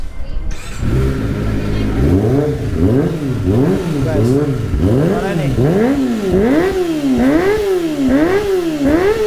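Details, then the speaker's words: Kawasaki ZX25R with Yoshimura exhaust, checked over before long touring, blipped in quick repeated revs that rise and fall evenly and cleanly; engine sounds healthy again with a fuller note. "Nah itu dia udah sehat lagi guys Jack mah udah mulai enak lagi ya begitu jadi sore udah mantap lagi Ini udah mulai berbobot"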